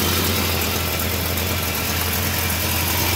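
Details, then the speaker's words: 1969 Dodge Coronet R/T survivor V8 at idle: a steady idle with a faint, quick puffing tick. A small exhaust leak from the manifold or heat riser is suspected, not confirmed. "You can hear a little bit of an exhaust leak coming out of the manifold or the heat riser, perhaps. I'm not really sure."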